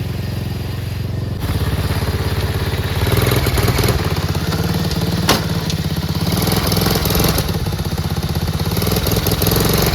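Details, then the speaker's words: Chinese 125cc ATV quad with intermittent spark, running with the tether kill switch disconnected: small single thumping unevenly, stumbling and sagging instead of picking up. Hesitant throttle; owner suspects spark loss from a loose wire or the CDI. "so I noticed that when I'm trying to throttle it's like very hesitantly wanting to throttle up like I'm losing sparkk already"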